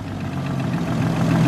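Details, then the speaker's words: Freshly rebuilt Nissan RB engine in R33 Skyline, hot idle around 850 rpm while timing is checked and set; low steady even beat, no knocks or misses; normal warm idle. "so all we're doing here is just checking the timing while it's hot"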